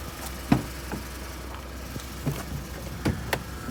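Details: 2013 Ford EcoBoost truck, 86k miles, idling: low steady hum broken by sharp, irregular ticks every half second, with an off-and-on growl; it started after a small coolant leak, and the cause is unknown.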